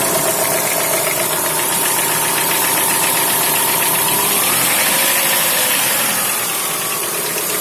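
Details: Chrysler Voyager 2.4 engine at steady idle with a sharp, regular metallic tapping of roughly four per second over the engine. An internal engine knock, source not pinned down.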